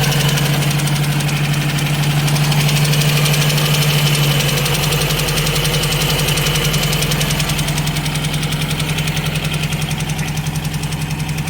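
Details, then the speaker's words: Ford Escort MK3 GLE idling: light steady sharp tick keeping pace with idle; owner suspects valve train and one cylinder not right, plans to pull valve cover; ticking at idle. "You know, you get a ticking noise. Something's not happy on this car. Something is not happy on this engine."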